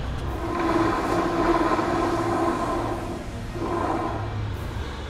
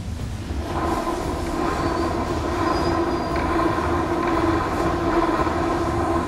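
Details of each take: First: Rear final drive of a 2015 Honda PCX scooter after repair of the rear final-drive bearings and clutch, mic placed close by; the rear wheel spins with a soft, even rolling hum and no grinding or clicking. Normal, healthy final drive. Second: 2015 Honda PCX scooter, microphone close to the rear wheel hub before repair. There is a steady whirring hum with a rough edge over the running drive, from worn final-drive bearings (three bearings in that area).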